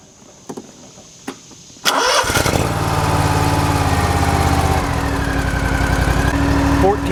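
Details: Scag mower with Kawasaki FX691 engine after a charging fault, possibly a dirty terminal, now charging at about 14.2 V: catches at about two seconds, settles into steady even run, no misses or knocks; normal idle.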